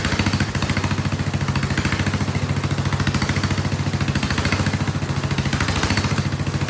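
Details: Vintage Kohler generator, flathead engine (guessed 400–500 cc), float spring removed from carburetor, loaded with a shop vac: loud, even thump holding speed without surging; still surges a bit, owner suspects fuel delivery or carburetor.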